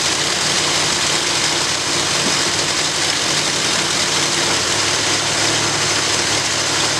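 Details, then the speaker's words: After rebuilding the Edelbrock carburetor on a 1965 Ford Galaxie, steady, even V8 idle with no stumble, surge or sucking noise; owner says it sounds like it's breathing a whole lot better, settings unchanged except the two front screws. "so I don't know if you all noticed any kind of difference but I definitely did it sounded like it's breathing a whole lot better"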